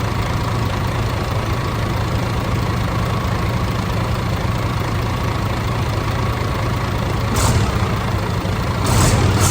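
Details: DAF CF85 Euro 6 diesel after top-end knock repair: worn inlet camshaft, rocker arms, engine brake replaced, tappets adjusted, fresh oil; even low rumble with slight exhaust puff from an exhaust blow, steady rhythm, no top-end tapping. Normal idle.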